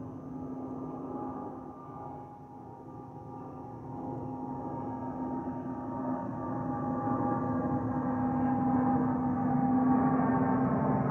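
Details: Delta Airbus A319-114 N360NB, flight DL2170 LGA-DTW, heard in the cabin: a steady hollow tone above the cabin roar slowly grows louder; the normal harmless FOPP whistle from the under-wing fuel vents.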